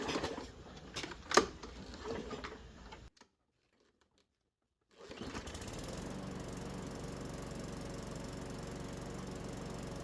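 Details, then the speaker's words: Craftsman push mower not started in almost a year, after fuel system and carburetor service, primed and oil checked: starts right up, steady even drone with no misses or knocks; normal running after repair. "the engine started right up and sounds good so that can only mean one thing it looks like another one is good to go"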